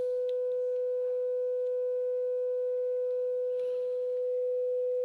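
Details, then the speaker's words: Graetz Comedia 616 tube radio after capacitor replacement, first power-up: 500 Hz generator tone fed via 1 µF capacitor into power amp stage comes out clean and steady without buzz, crackle or distortion; output stage working. "I have a pretty good signal coming out of there as you can hear. Actually very clear. It doesn't seem to be distorted at all."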